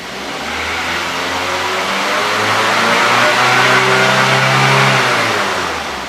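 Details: Practice car after the engine management fault was repaired, MIL now off: the engine revs up smoothly and eases back without stumbling. Before the repair it hesitated at high rpm. Clean, normal acceleration.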